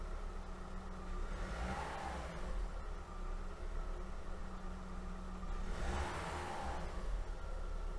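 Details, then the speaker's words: Audi A2 1.4 16v AUA petrol, first start after cleaning the throttle body and its 3/4-clogged EGR flange and running adaptation: steady, even idle with no hunting; previously the idle jumped, now stable. "okay so first of the observation is quite positive because uh before when i turned it on the minimum was not really fixed it was a little bit jumping so now it is quite okay"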